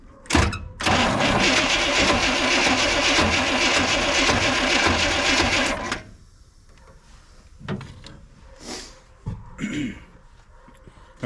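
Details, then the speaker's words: 1957 Chevy Sedan Delivery on a 4x4 Chevy truck frame, 454 big-block with SM465 transmission and NP205 transfer case, first crank on a remote starter after sitting: harsh, uneven rasping while turning over, owner suspects bad flywheel teeth. "turns over it seems like it's got some bad teeth on the flywheel"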